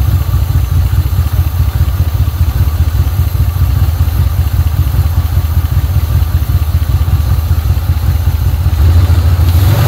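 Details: 1980 Pontiac Trans Am Turbo 301, first start after sitting about 18 years: steady, even low rumble at idle with no knocks or ticks, a great-running motor that didn't make a single noise; normal idle.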